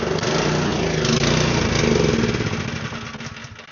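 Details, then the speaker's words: Snowblower small engine: uneven, hunting beat about 3–4 per second that sags and fades. It runs only on choke and won't stay running, so it isn't getting enough fuel. "It doesn't run regularly, it only runs on choke, so it's not getting enough fuel."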